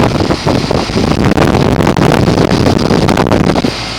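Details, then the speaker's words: 2004 Goodman 10 SEER 3.5-ton heat pump cooling in 90°F heat, still going strong years later, lines sweaty and cold: steady fan whoosh over low compressor hum, some wind on mic; normal running. "Still going strong about 5 years after I made the original video."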